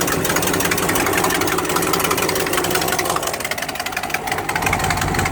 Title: Exhaust leak 1